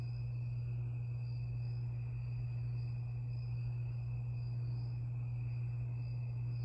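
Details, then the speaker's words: 52-inch Harbor Breeze Lakeside II ceiling fan before restoration, running only on low speed with a bad capacitor: constant low electrical hum with faint high whistles as the fan turns slowly. "about to demonstrate this fan it only has it only has one speed low only and it has a back capacitor"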